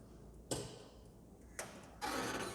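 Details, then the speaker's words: Soft-starter showing error 03, no supply, because its supply contactor was not energized; a button engages it: a sharp clack then a steady hiss and another clack, normal contactor pull-in clunk. "O contator que alimenta ela não está acionado. Então o que eu vou fazer? Aqui a gente tem um botão para acionar ele, ó."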